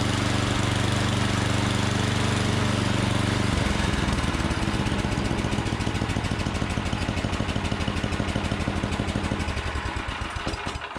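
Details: Troy-Bilt Storm 7524 24-inch snowblower, never maintained, previously no-start; after tune-up, electric starter spins steadily a few seconds, engine catches into a quick even single-cylinder beat and runs cleanly until shutdown; normal electric start and run.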